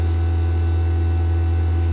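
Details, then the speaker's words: Fieldpiece VPX7 10 CFM A2L vacuum pump, switched to its quieter mode after reaching 3,000 microns to spare the oil. A smooth, steady low hum with no knocks or rattles; it pulls down quickly and runs quiet and even, normally. "So, power on na natin. Oh, bilis. Diba? Tahimik na siya guys."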